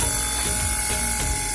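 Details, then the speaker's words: PS130 water pump after replacing one worn, loose bearing that had caused very loud noise. Now a smooth, constant mid-pitch motor hum with no grinding or rattling, so the noise is gone. "Sudah tidak, suara berisiknya sudah tidak ada."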